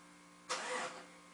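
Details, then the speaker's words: Starter relay commanded on through a Launch X431 V+ PRO Elite scan tool's actuation test: quiet background, then a short sharp whirr of about half a second as the starter spins. Normal starter engagement. "Starter relay. Let's see what this does. I want to hit on,"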